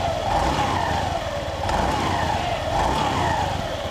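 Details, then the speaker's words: Honda Beat FI scooter with a rough noise at the CVT: running here with a smooth, even hum and no rattle. The rough noise was traced to a badly worn, loose roller housing in the CVT. "oke mesin udah nyala ya suaranya halus"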